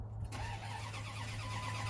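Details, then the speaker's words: 1998 Dodge Ram 1500 that died while driving: engine cranks at a steady beat but never fires; scan tool shows cam counts but no crank counts, and the crankshaft position sensor was found faulty. "I got cam counts but no crane counts so it's not going to start we're not going to get injectors and ignition and all that"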